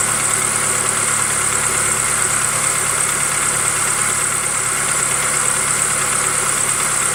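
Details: 2005 Jeep TJ 2.4L PowerTech: steady idle with a faint, irregular light knock; suspected piston slap on cylinder 3, unconfirmed.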